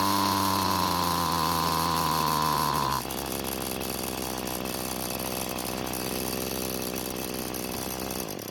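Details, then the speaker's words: Free curbside Bolens two-stroke string trimmer after reconnecting the throttle cable: buzz holds high three seconds then sags to a lower steady note, never reaching full speed; carburetor fuel adjustment screw to be adjusted. "so it started and ran but it's not getting close to full speed now to try and solve the problem i want to try adjusting the carburetor's fuel adjustment screw"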